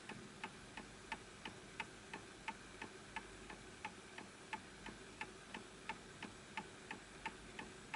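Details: Antique Enfield Westminster chime mantel clock, pendulum adjusted to the level surface: crisp ticks about 88 a minute, perfectly evenly spaced; clock in beat.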